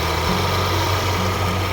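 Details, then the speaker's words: Mercedes-Benz CLA250 W117 idling with a loud, rough whirring drone from the front, a leaking failing water pump losing coolant with the Top Up Coolant warning lit. "ก็ดังมาจากตัวป้อมน้ำนะครับข้างหน้า"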